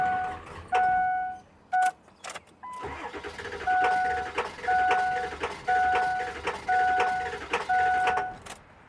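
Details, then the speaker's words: 2003 Ford F350 7.3 liter crank no start: with starting fluid sprayed into the intake tube, repeated cranking bursts bring a brief cough that never catches, showing the engine is starving for fuel. "When we spray starting fluid in this tube, the engine tries to start. So that means this engine is starving from fuel."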